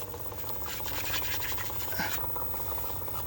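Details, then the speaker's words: Pool pump in cold weather, running in freeze-protection anti-ice trickle mode at very slow speed: low soft motor hum with faint steady pulsing, no grinding or squeal; small flow confirmed; normal running at low speed. "Okay, just following up on the pool pump, making sure that it is in a trickle mode. We can hear the pump running very slowly."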